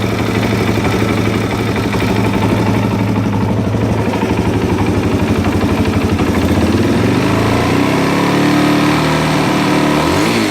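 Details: 2001 Suzuki DRZ400E single-cylinder with Wiseco aftermarket piston, idling then blipped: rapid rhythmic knock rising with revs, compared to stock piston; cam chain tensioner noise sounds less rhythmic. Bike later ran 3,000+ miles sounding the same. Cause uncertain.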